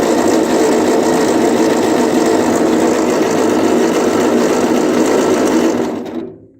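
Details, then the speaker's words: 1939 Ford 9N tractor cranking with ignition on and power at coil; steady starter churn about 200 beats a minute, never fires: no spark, dirty points, distributor to be removed and points filed. "No. Okay, so we're going to have to get the distributor out and give the points a file, and we'll go from there."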